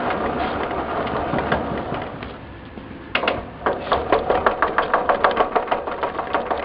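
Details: 1958 Wheel Horse tractor with early-style (1958–61) gears, microphone near the transmission: engine idles, then rolling in reverse sets off a sharp, fairly regular knock about three per second. Worn transmission gears with poor tooth geometry.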